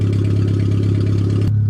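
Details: Suzuki Swift small petrol engine, rolled over, running on a makeshift fuel system before a test drive: steady, even low idle with no knocks or misses, smooth throughout; normal idle.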